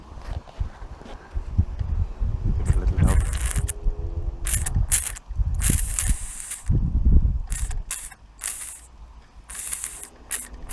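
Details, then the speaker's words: Inherited antique model steam engine, cleaned up and run for the first time in many years, starting cold with little steam pressure: uneven, hesitant chuffs and hisses, about three a second, never settling into a rhythm. Struggling on low pressure. "we're starting to get something out of it now it's trying now"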